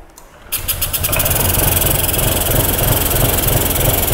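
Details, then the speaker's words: 2021 Honda SH 125 FI after servicing, no fault codes: starter spins, engine catches and settles into a loud, lumpy, tractor-like jerky idle; an air leak makes it run rough. "Cái tiếng nổ của nó rất chi là to Và đồng thời là cái tiếng nổ của nó kiểu giật cục giật cục"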